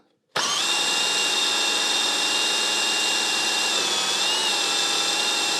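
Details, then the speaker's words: Mercedes 560SL (R107) power steering bled by spinning the pump with a drill while the wheels are turned to lock: high whine sags briefly at full lock, then recovers smoothly with no gurgling or air bubbles; pump and gearbox work normally. "The pump is working, or the gearbox is working exactly like it's supposed to work."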